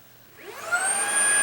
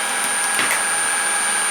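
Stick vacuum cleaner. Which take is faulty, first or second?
first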